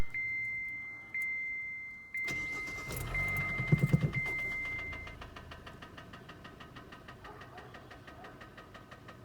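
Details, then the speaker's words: Engine of a car that locked up while driving, restarted after hard braking: warning chimes, then a steady tapping bottom-end knock about three per second at idle; spun bearing indicated, car towed to dealer. "I slammed on the brakes tires tripped and then it's fun over and it was knocking like at the hole here's a little clip of that"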